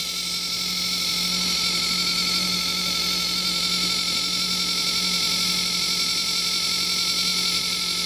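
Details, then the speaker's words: Small Chinese water pump on a homemade fan mister, long suction hose, first test: steady high buzzing whine over low hum; still drawing air while priming before water comes through. "There's a solid, there it goes, air coming out, the water's coming. It's just got to prime itself. Bit of a long suction hose. It's going to take a while."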